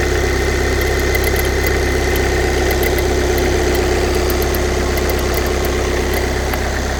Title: VW CC 2014 2.0TDI CR (140bhp) clicking noise on cold start